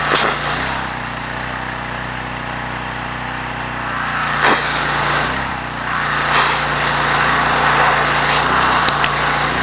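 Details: Troy-Bilt 2800 psi pressure washer after carburetor repair, with water and a 15-degree nozzle: small engine holds a steady, even drone under load with no misses or surging; healthy running.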